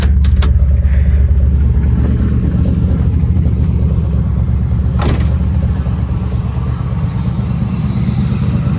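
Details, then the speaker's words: 1968 first-gen Camaro running after fitting a new battery (dead battery, possible alternator issue suspected): strong, even low rumble with a steady firing beat, no misses or knocks; starts and runs healthy. "Oh yeah, that sounds good and strong. Right on the money, buddy. Perfect."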